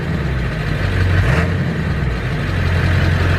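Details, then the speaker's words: Truck after a fuel pump and filter change and a new cam position sensor: a deep, steady diesel rumble with an even beat and no misses or knocks. A normal idle; the owner is checking whether it stays running once warmed up. "but trucks running we're just gonna see if it makes sure we're gonna see if it stays running good"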